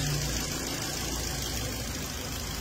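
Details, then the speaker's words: Normal comparison Ford engine at idle with crankcase opened, no smoke coming out: steady even idle, smooth low rumble, no misses or knocks; clean healthy engine, unlike the blow-by 2019 EcoSport EcoBoost. "sir check niyo sir maigay sir Walang kausok usok yan sir"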